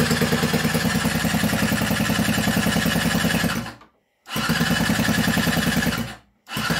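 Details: Scooter after seized piston, new budget cylinder and piston fitted, starting spray into intake: starter cranks in steady even bursts twice but never catches; won't start, no fuel getting in.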